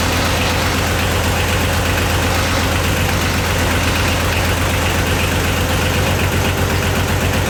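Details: Yanmar YM276 diesel tractor after clutch replacement and pilot bushing removal: steady, even chug at about four beats a second with no knocks or grinding; idling smoothly and healthy.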